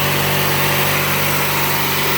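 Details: Bolens 3014H AJ Foyt lawn tractor, Briggs & Stratton 14HP opposed twin, after solenoid replacement, throttle up and choke on: fast, even buzzing idle with no surging or misfires; starts on key without hot-wiring.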